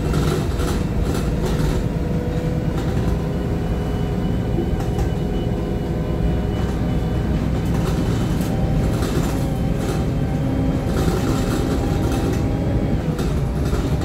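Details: Arriva North East VDL SB200 Plaxton Centro diesel bus YJ58 FFB in limp mode: steady diesel drone at a raised, unchanging idle with no dip or hunt; high idle, cause unclear.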